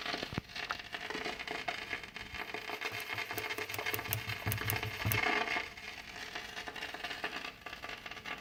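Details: Kenwood GE-52B graphic equalizer: quiet, irregular pops and crackles over a low hiss fade in and out untouched; RCA cables good and wiggling connections changes nothing, so fault is likely inside.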